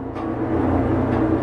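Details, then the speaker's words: Hobart 4346 commercial meat mixer-grinder, one-owner, dealer-serviced, on three-phase via converter, running mix and grind with paddles turning; steady even motor hum with constant low drone, no knocks or grinding; runs smooth and healthy. "We're going to go ahead and put on mix and grind. We'll take the camera a little closer and show you how smoothly it's running."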